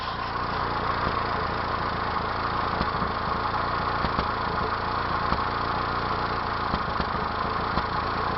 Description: Short video of my 1992 Mazda B2600 that has an unknown misfire.